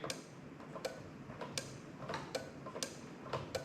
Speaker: okay so i'm just gonna do this and i'm gonna keep quiet you can hear the relay clicking